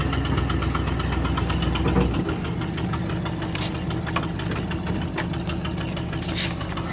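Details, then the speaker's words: 1978 Ford LTD V8: uneven loping idle with a missing pulse, running on only seven cylinders yet still pulling well; misfire. "still pulls pretty good even for running only on seven cylinders I'm surprised I can't wait to get it to run on all eight"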